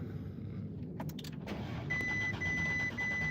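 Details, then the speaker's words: Audi with half a tank of fuel, dash lit, brake malfunction warning possibly from cut front wiring: starter cranks unevenly over a chime but engine won't fire; cause not found. "So I mean, it sounds like it wants to start because you could hear it, and I want to say we got gas in it because we got like half a tank of gas right here."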